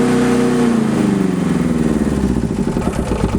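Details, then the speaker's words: Aixam 400 microcar, standard version without soundproofing, recorded from inside the cabin while revving in neutral: rough, clattering engine note climbing with revs, so loud the speaker must shout; owner suspects a problem somewhere, cause not pinned down. "donc là je vais accélérer au point mort donc là ça va c'est gentil mais voilà là là je suis obligé de parler je suis obligé de parler très fort en fait pour qu'on entende"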